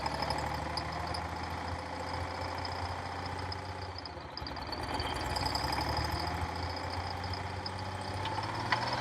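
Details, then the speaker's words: Cold start of a Detroit Diesel 6V92 in an MC9 bus in late October, engine about 39–40°F: an uneven, stumbling idle with irregular knocks, as if not all cylinders are firing. It smooths out with more throttle. The owner suspects leaking/clogged injectors or stuck rings. "so when I gave it some more fuel eventually it seemed like all the cylinders would light and now it's running normally so it seems like just I'm just not all the cylinders are firing up at the same time"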